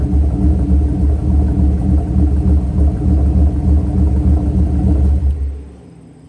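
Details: Mercury Grand Marquis 2V V8 with Todd Warren custom grind cams, after modifying AFE intake so IAC valve works: deep lumpy choppy but steady idle holding even until switch-off.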